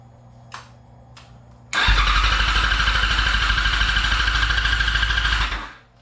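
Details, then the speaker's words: 2003 Yamaha R6 with new battery: fast, even cranking about three pulses a second, no firing and no fuel pump prime heard; fuel pump or relay suspected bad. "Yeah, I don't hear the fuel pump. That thing spins over so fast. Okay, so did not hear the hear the fuel pump prime."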